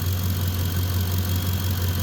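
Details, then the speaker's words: Ford F-150 running well at idle, about 14.3–14.4 V under load and no load, heavy battery: faint constant high whine over the low rumble as the alternator sings; owner suspects a bad diode but can't prove it. "I don't know if you can hear the alternator it is singing a little bit now very possible it could have a bad diode or something but I can't prove it"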